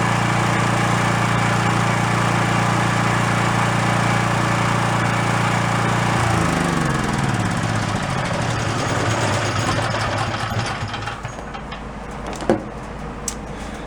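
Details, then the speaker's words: Small generator set, new carburettor and spark plug fitted, cuts out after about 10 minutes, over an hour into a run: steady loaded drone, then pitch sags and wavers for a few seconds before settling; occasional surging under load. "so i'm listening to it and once in a while you hear it go whoa whoa"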